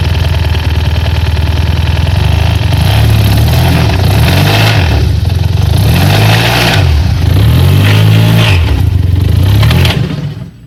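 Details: T-Max 500 scooter engine starting and revving with a rough, uneven low rumble and a loose knocking underneath that rises with revs; engine knock.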